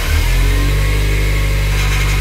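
Steady low engine drone with a slight rise in pitch as it revs, even and smooth with no knocks; running healthy.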